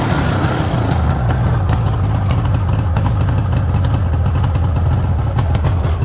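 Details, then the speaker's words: 1974 Suzuki GT750 two-stroke triple, restored about five years earlier with new pistons and rings, absolutely cold and not run that day, idling on choke: deep, even burble at steady fast idle, no misses or knocks; normal cold idle. "as you can see it's absolutely cold not been started up today all you do is put the chalk on and"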